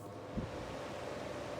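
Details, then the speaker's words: Indola 10-inch desk fan: steady airy whoosh with a faint even hum, no ticking or rubbing; fan runs fine. "yeah that's that's the maximum amount of noise this fan makes it's really quiet for some reason especially compar it to the other one"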